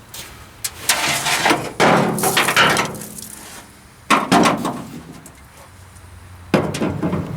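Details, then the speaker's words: 1949 Dodge business coupe, first start attempt in about 20 years on an old battery: harsh irregular clattering bursts about a second each, no steady cranking; starter not engaging the flywheel teeth properly, to be removed and inspected. "well it's turning but it sure does sound bad uh starter don't s like it's engaging in the teeth right so we'll have to pull that out and take a look at it"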